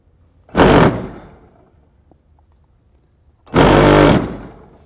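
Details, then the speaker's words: SHP series spreader trough vibrator powered directly from a jump box for testing: two short, hard bursts of loud buzzing rattle, shaking strongly enough to knock off a clip; vibrator working normally. "So, again, it's going to get really loud because the vibrator is right on the inside here. on the on the trough."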